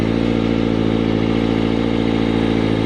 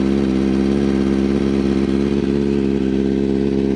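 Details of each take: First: Motorcycle after adjusting the automatic cam chain tensioner, which had not tensioned the chain enough so slack banged around; close-up idle now smooth and even, no cam chain rattle or ticking. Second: you're going to hear a a really like loud quick ticking noise that's what the problem is so that noise right there where you can hear the ticking that is the camchain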